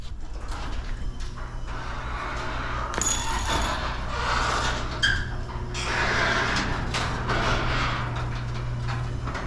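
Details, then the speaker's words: Garage door over 12 ft tall with belt opener, after replacing rusted steel rollers with nylon rollers on stainless shafts. Low steady opener hum and quiet rollers; only the spring still creaks and squeaks. "The only noise we're hearing now is the spring. The wheels are super quiet. That's a really quiet garage."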